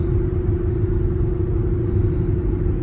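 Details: Before sound: Cooper Endurance Plus tires loud since a rotation, steady highway speed around 55 mph; deep constant rumbling roar with no rhythm; owner suspects tires, possibly wheel bearings, before swapping to used tires.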